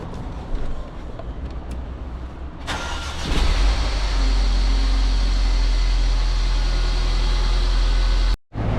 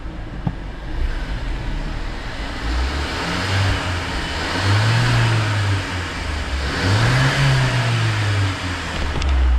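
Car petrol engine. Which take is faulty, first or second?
first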